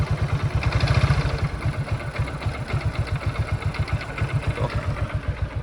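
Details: Hero Glamour single-cylinder bike after a new timing chain to cure an engine noise: steady, even low thump at idle with no chain rattle or clatter; timing side sounds healthy.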